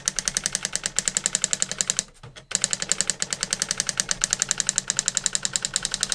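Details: New-in-box circa-1985 Epson DX-10 printer printing a Windows 2000 generic text-only test page via printer port: crisp rapid clacking about four strikes a second, short pause, then steady; worked perfectly, normal printing.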